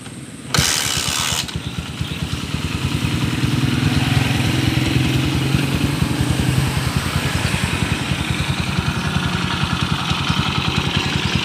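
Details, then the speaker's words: Honda TMX155 motorcycle that the owner says knocks when cold but quiets once warm, on a cold start: a quick, uneven thumping tick at about 3.5 beats per second with rough rotation and vibration. Bent crankshaft with worn crank bearings. "kakaiba yung tunog nito mga kaabo kakaiba yung andar niya yung ingay ng makina kakaiba oh parang may ma-i na umiikot sa loob"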